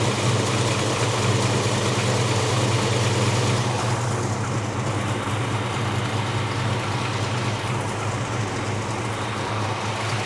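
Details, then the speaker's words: 1957 Chevrolet Bel Air V8, former trailer queen back on the road: deep, even burble with steady beat, no ticks or misses; normal idle. "sounds good."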